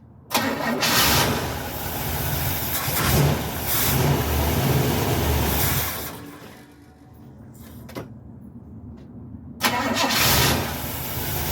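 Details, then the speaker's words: Carbureted car unstarted for 3–4 months, float bowls hand-filled with fuel by syringe and choke wired open: several seconds of cranking, a pause, more cranking, then it fires into a rough idle; extended cranking after dry-carb storage, leaking fuel afterward. "well it started I was hoping it was going to start on the first crank it usually does of course this time it didn't but it did start and it's a lot easier than cranking and cranking and cranking until the fuel pump can get fuel up into the float bolts"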